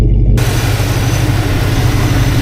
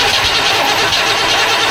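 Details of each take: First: Vortec 5.7 L Suburban after three-day crank-no-start repair: starts instantly, steady even low rumble with no knocks, misses or stumbles; smooth, healthy idle. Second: Vortec 5.7 L Chevrolet Suburban cranking without starting: starter churns with a steady, even rhythm and the engine never catches. Fuel flow, injectors and spark were checked. Caused by a failed camshaft position sensor and a dirty, corroded distributor cap.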